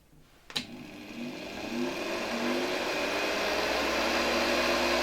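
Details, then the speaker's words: Hoover 1346A (1972) vacuum cleaner motor, cleaned, bench-run unmounted at reduced voltage for safety: spins up smoothly to a steady, even whine with no scraping, rattle or bearing growl. Normal, healthy running. "Oczywiście obniżam napięcie, ponieważ silnik nie jest tu do niczego przymocowany, więc dla bezpieczeństwa uruchomimy go przy niższym napięciu. Myślę, że działa całkiem nieźle."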